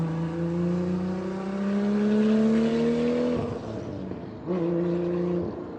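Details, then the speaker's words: RB26-powered MK5 Supra build with a roughly 9-quart sump, before its first dyno session, with metal found in the oil filter: clean rising tone for three seconds, a drop, then another short pull, no knocks or misfires; healthy revving. "fucking weird hearing it from that car though. Sounds good."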